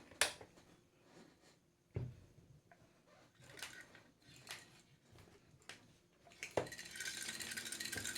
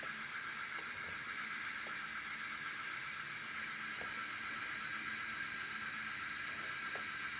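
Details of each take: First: Ceiling fan brought in for slow-speed problem, held up on a hook and run: spins very slowly with a steady dry hiss and rough grinding rattle from the bearings — dry fan bearings. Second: Ceiling fan in for slow-speed service, now connected directly to full current: steady even rush of air with faint light ticking, no hum or grinding, spinning fast — normal running at full speed.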